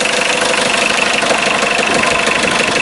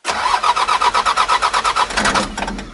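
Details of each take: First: 1984 Mitsubishi Mighty Max 4x4 turbo diesel mini truck, 5-speed manual, just started after a short glow: steady diesel clatter idling smoothly about three beats a second, no odd knocks; slight blow-by. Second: 1984 Mitsubishi Mighty Max 4x4 turbo diesel mini truck, 5-speed manual, new timing belt and water pump, started cold without glow plugs: even starter cranking about eight compression beats a second, no firing, winds down; needs glow plug.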